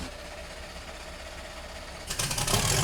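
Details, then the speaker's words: 1971 Datsun 240Z "Rotsun" turbo engine, first start after work, fuel pump heard, needle and seat possibly sticking: cranks quietly, catches at about two seconds, runs loud and rough but keeps going; healthy start. "Make some noise. Fires right up. Oh, it wants to go."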